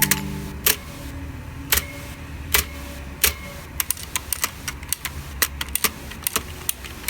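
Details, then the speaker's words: ViewSonic KU520 budget mechanical keyboard with blue switches: sharp clicky keystrokes, some followed by a short metallic ringing tail from spring resonance, most apparent on the spacebar. "you can hear the spring resonance with almost anything but it is most apparent with the spacebar as shown here"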